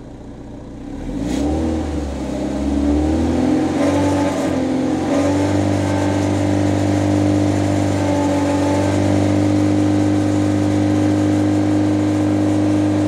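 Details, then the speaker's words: Porsche 968 CS held steady at 3000 rpm during a sound-meter test (about 86.8 dB average). A tinny buzzing rattle rides over the exhaust drone from loose heat shields slapping the exhaust line. "Alors, je sais pas si vous avez remarqué, mais ce qu'on entend principalement, c'est le bruit des pare-chaleurs qui tapent contre la ligne, notamment à 3000 tours."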